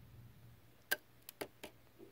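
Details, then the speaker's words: Sharp LC-52LE830U TV with flashing standby light, no picture or sound, pins 14 and 15 on power supply jumpered to force it on: silence then four sharp relay clicks within a second as the 13 V and backlight voltages switch on normally. "I'm gonna push the power here you can hear the clicks that's mean the other voltage is turning on"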